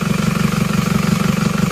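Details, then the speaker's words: Isuzu Panther diesel after raising injector pressure from about 130 to 190; cylinder 4, previously dead, now contributes. Still slightly uneven but much smoother, with an even steady chug: smooth diesel idle. "Oke sudah tidak terlalu pincang tapi masih pincang teman-teman kedengaran sudah lebih rata teman-teman sudah lebih rata"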